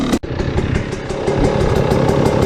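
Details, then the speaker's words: 2020 KTM 300 XCW TPI after crankcase pressure sensor replacement, warmed up with radiators warm: steady, even two-stroke idle with crisp pulses and no misses or stumbles; healthy at operating temperature. "So we're just going to let it get up to operating temp. As soon as the radiators are warm, that's how I judge it."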